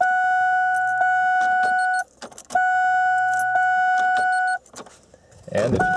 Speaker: I turn it to the on position you'll hear the fuel pump Prime for about a second or two